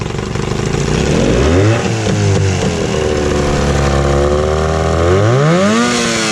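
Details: Evinrude 15 hp electric-start outboard revived after sitting a year. It revs up and settles cleanly, with a smooth, even pitch rising and falling with throttle and no misses or knocks; running healthy.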